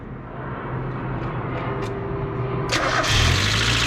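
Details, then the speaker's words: Mazda Miata after engine swap with new clutch and rear main seal, starting up: brief crank catches at once and settles into an even, steady idle; runs very well, healthy start. "dang it starts right up dude this thing's running like a top wow this is awesome solid"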